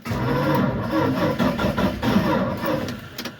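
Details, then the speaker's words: Old four-wheel-drive Dodge truck (Little Red Express clone) cranking in neutral: strong, even churning with no dragging or clicking; healthy battery, engine turning over normally. "all right we know it cranks good healthy battery little bit of fuel see what happens"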